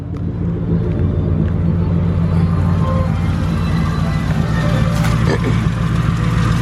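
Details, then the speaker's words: Crown Victoria V8 with straight-pipe exhaust idles with a deep, loud rumble and faint, uneven ticking from leaking exhaust flanges on both sides. "I may keep the system and just button up those those exhaust leaks cuz it sounds horrible guys like the leaks you can hear it ticking on both sides"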